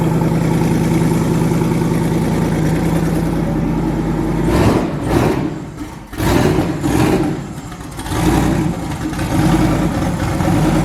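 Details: Twin-turbo V8 truck, first start after the twin-turbo conversion with no boost controller yet: deep, even idle for several seconds, then a few sharp throttle blips that settle back; all eight cylinders firing smoothly, normal idle.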